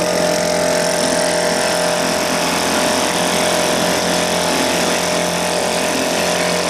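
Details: 1980 Johnson 2 hp two-stroke outboard running after a complete teardown and rebuild that fixed a stripped crankshaft and cracked coils. Loud, steady buzz at a constant pitch with no misses or knocking; smooth and healthy.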